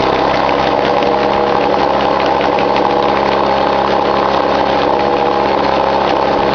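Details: 1953 Mercury Mark 15 outboard after a carburetor float height fix for flooding, cold day: steady, even idle with a constant note and no misses, surging or stumbling; running smoothly.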